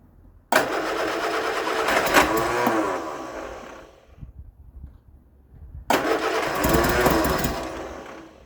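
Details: 1975 Vauxhall Viva HC, last on the road in 1991, during rebuild after carburettor work: cranks, catches and runs rough and uneven for seconds, drops away, then fires again; engine starts.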